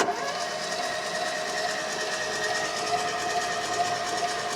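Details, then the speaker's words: Ford Fiesta XR2i barn find off road 14 years, cranked with plugs out, bores lubricated and coil pack unplugged: even starter whine with steady chug about two per second; turns over freely with compression. "oh well it turns over all right yeah turns over doesn't it like you got compression on them"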